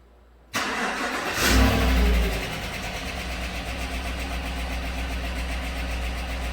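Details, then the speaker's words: 2016-17 Chevy Silverado 1500 4x4 5.3L starting after a bent pushrod and broken lifter were repaired: the misfire is gone but a light fast tick remains. Suspected to be another bent pushrod. "It's interesting, it's still got a tick in it. I wonder if it's got another bent push rod on this side. It's not missing anymore."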